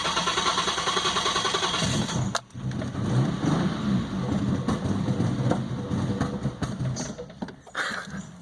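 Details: 2001 Isuzu Trooper with intermittent hard starting and odd electrical issues: starter grinds on for a couple of seconds before the engine stumbles and catches into an uneven idle.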